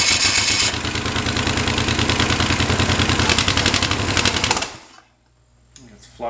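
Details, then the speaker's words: Chevy 283 small-block on one head (four cylinders, homemade CNC head gasket), morning start: fast even cranking about three and a half beats a second that never catches; engine badly flooded. "flooded like crazy right now this morning"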